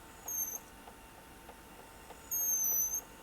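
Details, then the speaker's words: National NV-G12 VCR playing a tape: two bursts of thin high-pitched squeaking over faint mechanism hum; squeak stops when tape back tension is released slightly, so excessive back tension suspected. Tape transport squeak. "I think what's happened is the uh the back tension is doing this that cuz if I release the tension slightly it will stop making the noise"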